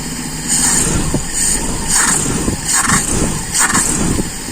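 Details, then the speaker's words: Carbureted car engine cold, idle mixture screw turned leaner. Throttle blips without the accelerator pump stumble and hesitate before climbing, a lean-mixture bog; low cold rpm that rises by itself as it warms. "kalau dingin ya tambah kelihatan ngoknya ini tanpa pompa"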